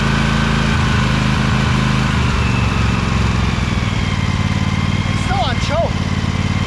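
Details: Little Wonder hedge trimmer, Briggs Vanguard 23 hp V-twin, after primer bulb replacement and carburetor clean, started choked at low throttle with brake on: low steady burble, even firing, no misses or knocks; runs nicely now, normal.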